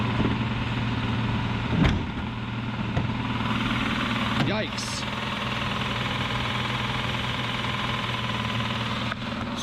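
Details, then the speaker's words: 2004 BMW 760Li V12 with a spun rod bearing on cylinder 12: engine catches and settles to an even idle hum with a knock underneath from the spun rod bearing. "fell in love with this car put a couple of thousands of dollars into it and it spun a rod bearing was it a mechanic shop getting some work done don't really know what happened but now it's knocking on number 12"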